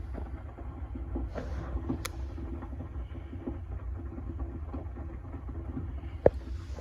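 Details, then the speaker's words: Water heater about 8 years old on well water: low burner roar with scattered irregular pops and one sharp crack as heating breaks loose calcium sediment built up in the tank bottom. "so a lot of that times you got build up inside the bottom of the tank the popping sound you're hearing is the heat heating up and uh popping the the calcium deposits loose in there"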